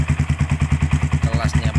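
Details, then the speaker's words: 2010 single-piston twin-spark-plug carbureted sport motorcycle, over ten years old, kick-started first try with no battery fitted: even, round single-cylinder thumps about eight a second, no knocks or rattles, healthy idle. "dan dengarkan saja suaranya bagus sekali untuk suara mesinnya dengarkan sangat bulat sekali"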